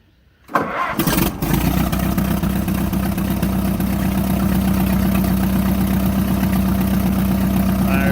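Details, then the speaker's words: 1949 Minneapolis-Moline ZAU tractor before head gasket rebuild, leaking oil and losing coolant at the water pump, low on coolant: brief crank, catches at once and settles into steady low idle about four beats per second; normal start. "Okay, and this is what the Moline sounds like before the rebuild."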